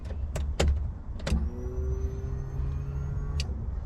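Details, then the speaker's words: Honda B18C converted from dual carbs to EFI with a tucked OBD1 harness, key-on with no fuel in the car: sharp clicks, then a steady thin electric whine with a low hum as the ECU primes the fuel pump. The pump then shuts off as the main relay should; normal. "There's still no gas in the car, so when I turn the key in on position, you should hear the pump pretty clearly."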